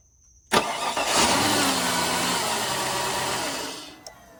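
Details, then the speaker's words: Flood-damaged 2004 Cadillac DTS convertible after repairs. It cranks, catches, runs roughly about three seconds, then dies on its own. A security system issue killing the injectors is suspected, not confirmed. "This seems like a security system issue, and so what it's doing is it's allowing the car to start, but it's killing the injectors after a few seconds."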